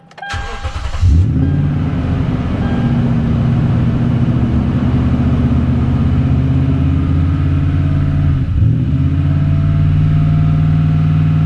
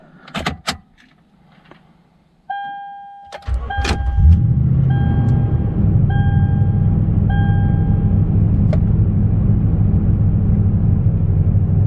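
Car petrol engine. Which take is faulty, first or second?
first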